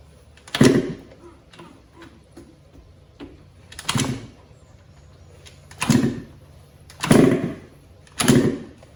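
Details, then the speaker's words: Yamaha YZ125 two-stroke after top-end rebuild following blown engine, choke on, fuel on: five or six kicks about one to two seconds apart turn it over but it never catches; owner suspected no spark, yet spark check showed spark present. "not sure if it's getting spark. Kind of sounds like it isn't."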